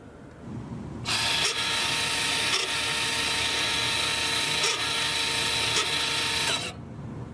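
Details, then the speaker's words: Toyota/Lexus electric parking brake with rear brake service mode activated via the button sequence. The rear motor gives a high, even whir for about five and a half seconds while unwinding fully for pad or disc service, then stops: normal retraction. "Right now the motor is working in the back, unwinding all the way, which will allow us to service our rear brakes."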